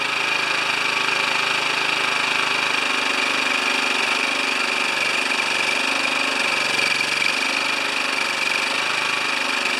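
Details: Older Honda EX1000 generator, previously running only on choke, now holds a constant busy buzz at fixed speed off choke after governor arm and spring reconnected and fresh gas; normal running, though it doesn't drop back to idle at no load.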